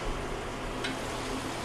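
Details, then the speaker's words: Maytag LAT8240AAW top-load washer after replacing the lid switch (22001682) for a will-not-start fault: steady hiss of water filling the tub with no clicks or hum, normal fill before checking agitation. "we just going to let it fill up here small more and then we're going to verify that the unit will agitate"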